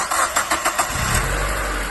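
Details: Second-gen NB Mazda Miata with 25,000 miles, after replacing the original cam sensor to cure a common no-start: five or six quick cranking beats, then it catches at once into a steady, even run. Clean, healthy start.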